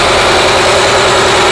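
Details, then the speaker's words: Honda Prelude with a rebuilt H22A4 engine, after fixing incorrectly connected spark plugs that caused misfire and hard shaking: steady, smooth idle with only slight vibration; idle now normal, though the engine smokes a lot. "now that's what it's supposed to sound like we got some vibrating but it ain't as bad as it was"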